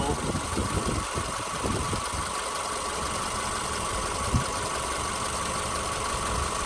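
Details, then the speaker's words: 2010 Subaru Forester AWD Premium, 83,000 miles, one owner, fully serviced: microphone held over the open engine bay at idle; steady, even low rumble with no knocks, ticks or misses; healthy normal idle. "I'm just going to hover right here over the top here so you can listen to it at idle"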